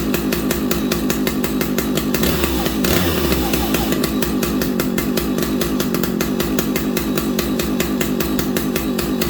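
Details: Vintage old-school muscle chainsaw started on fast idle using the decompression valve; a crisp, even two-stroke crackle at a steady fast rhythm after the pull, starting cleanly and running smoothly, normal.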